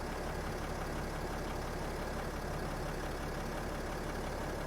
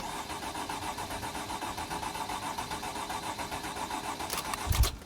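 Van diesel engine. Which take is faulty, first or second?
second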